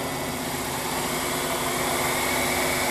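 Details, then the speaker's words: Bridgeport Series II vertical mill power feed: after switching from knee to table feed, the other feed motor gives an even, steady hum with a faint high whine rising as it speeds up. The table moves smoothly, and the feed runs healthy. "Picks up the same pot. You can hear the other motor running."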